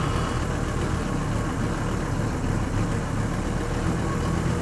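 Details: Mercedes W126 300SD diesel, replacement engine of unknown mileage, first start after sitting 10 years: low, lumpy idle with uneven beat where a cylinder or two drops out; misfire suspected from low compression, not confirmed.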